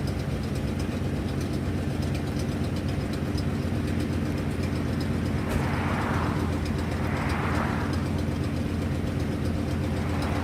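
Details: 1997 Ford F250 with a 460 (7.5 L) V8 idling with a fast, rough ticking puff from an exhaust leak.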